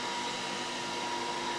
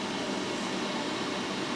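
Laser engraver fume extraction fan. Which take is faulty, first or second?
second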